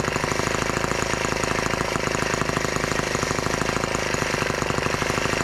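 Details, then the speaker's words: Brand-new TR1 tractor small single-cylinder petrol engine at its first start, warming up with the throttle locked: a fast, even, crisp idle. Normal idle for a fresh engine; the carburetor may need adjusting. "doesn't seem to run that terribly bad i'm sure we can adjust that in a little bit"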